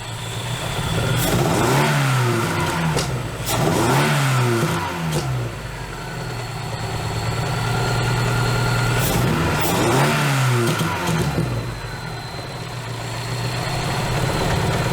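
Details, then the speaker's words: Dodge Neon ACR after replacing a leaking fuel injector (rail had no pressure): quick revs drop back cleanly to an even, steady idle with no stumble; misfire gone, sounds normal. "issue that sounds more like normal"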